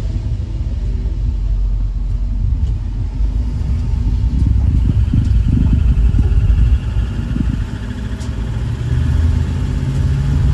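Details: 1999 Ford E350 step van with 5.4 V8, climbing a driveway under light throttle. Deep, even rumble with no stumble or miss, sounding healthy, though a service engine light came on about a week after the spark plugs were done.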